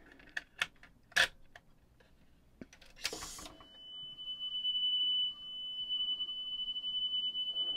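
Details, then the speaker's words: JVC RC-250LB radio cassette after a belt replacement and service: a 3 kHz test tape played against a reference 3 kHz tone gives a slow beating, showing slightly slow tape speed before the motor speed is adjusted. Tape speed slightly slow. "and we just a tiny tiny tiny bit slow and I'm just going to adjust the motor here"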